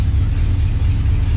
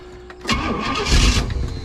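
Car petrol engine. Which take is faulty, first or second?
second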